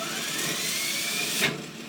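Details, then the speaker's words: Wagner 5 hp repulsion-start motor from a pipe organ blower, wired for 230 V but run on 120 V, gummy centrifugal mechanism, commutator needs work: loud steady hiss and whir with faint rising whine; noisy ball bearings, owner hopes regreasing quiets them. "not nearly as musical as the centuries it's got ball bearings those are a little noisier maybe when i regress them they'll quiet down"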